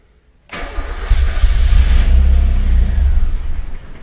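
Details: 1990-93 NA Miata 1.6 after SpeedyEFI (Speeduino) install replacing stock ECU, MAP port plugged in, fuel pump primed: low rhythmic starter chugging about three seconds, never catches; cranks, no start.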